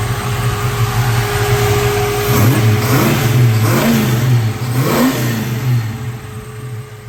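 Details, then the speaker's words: 1967 Ford Mustang Fastback, no blow-by and clean dipstick noted before start: settles to a steady idle and crisply takes several quick throttle blips, revving up and dropping back cleanly; healthy, normal idle with blips. "do that again I like that do that one more time I like that"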